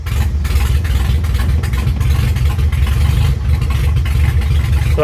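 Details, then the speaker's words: Chevy Luv 4x4 carbureted engine, dead cold with no choke, just started after carburetor work: low uneven idle that stumbles and wanders but keeps running, rough until warm; idle mix screws and throttle plate still to adjust. "it's going to idle pretty rough till we get some temp under without a choke but impressively enough it actually can hold an idle dead cold"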